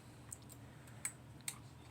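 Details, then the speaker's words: Mule 12 V remote head wired to a 6 V remote-capable emergency light and exit sign; relay clicks crisply on each test press, disconnecting power so the AC bulb goes out — normal relay operation. "You can hear the relay clicking. When you press it, it disconnects the power and the AC bulb goes away."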